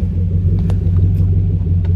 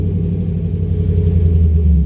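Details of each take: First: Chevy Camaro after a misfire with codes P0174, P0202, P0302 and a Service StabiliTrak message: deep, steady rumble with an even beat as throttle is eased on, no skips; message now off, no more misfire. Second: Chevy Camaro with Service StabiliTrak on, codes P0174, P0202, P0302: a lumpy, rough idle with an irregular machine-gun-like stumble and a slight knock, a cylinder 2 misfire from an open injector circuit, bank 2 lean.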